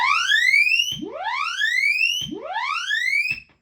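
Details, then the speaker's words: PRS Mark Tremonti 15 tube guitar amp, alligator clips on output transformer secondaries bypassing the jack/bias daughter board: loud rising whistle sweeping upward about once a second, three times; transformer singing from an open jack, a break on the daughter board. "I have alligator clips on the secondaries. I'm bypassing the output board, the uh the jack board there. One of the little daughter boards. There's three boards. Listen. That's an open jack."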